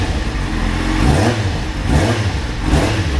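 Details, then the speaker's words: Kawasaki Z750 after repair of knocking noise (sounded like rod knock) fixed with new exhaust header gaskets/rings and welded header inlets, exhaust refitted: clean throttle blips, smooth even exhaust note, no knock or ticking. "agora né tudo certinho montado como ver o resultado aí ó a beleza mora já não faz aquela barulheira e batendo"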